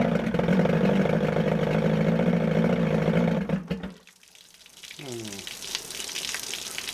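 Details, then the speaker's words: 1978 Evinrude 115hp outboard: low, lumpy drone at idle with uneven beat before cutting out; runs but seems to fight itself, owner suspects timing off, unconfirmed. "almost sounds like the timings off and so it runs but it's almost like it's fighting [Music] itself"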